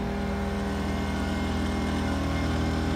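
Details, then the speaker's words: Pulsar PG2000iS 2000 W inverter generator already running the AC and charger, with a refrigerator added: a low, laboured drone as the overload light comes on. The unit did not trip, but it is running over its rated wattage. "we go an overloaded light came on can still turn that off and it didn't trip out but he did so over water so I don't know how long it would have ran it"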